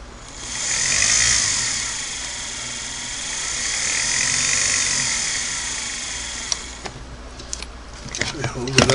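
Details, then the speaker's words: Singer Model 99K sewing machine motor running after cleaning and adjusting the foot controller: smooth, even motor whine rising and falling with the pedal, then winding down cleanly; motor runs normally. "there is the motor turning and I can you hear that or see it"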